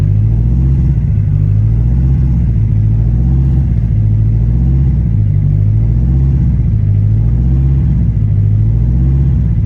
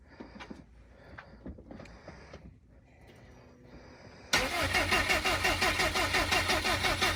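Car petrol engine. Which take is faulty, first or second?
second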